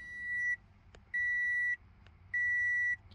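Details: 2014 (also called 2012) Toyota Camry Hybrid, 140k-plus miles, no-start: three even high beeps, key symbol on dash, READY flashes twice then disappears; codes P0A80, P0AC0, P0B3D, P0C30; heavy electrical short, fixed by replacing parts.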